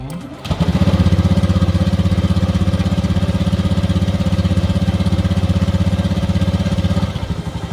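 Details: 2019 Honda Beat ESP scooter after replacing the TPS sensor to fix stumbling on initial throttle: small single-cylinder putters smoothly and evenly at steady idle with no stumbling or hesitation; normal idle.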